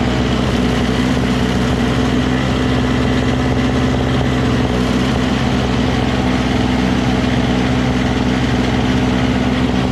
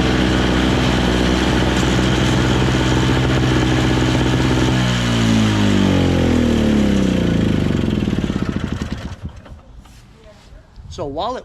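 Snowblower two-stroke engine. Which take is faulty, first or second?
second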